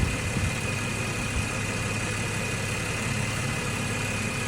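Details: 2014 Ford FG XR6 after alternator replacement and power steering O-ring change, charging at about 14.5 V: smooth, steady low rumble with no misses, knocks or whine; a healthy, even idle.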